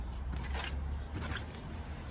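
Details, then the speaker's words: 2010 Mazda3 2.0L, hand-spun front right wheel for comparison: soft swish over low rumble, no buzzing, grinding or coil-spring vibration, unlike the bad front left bearing. "we did the same technique i don't know get the camera closer but i don't hear any buzzing sound no grounding noise"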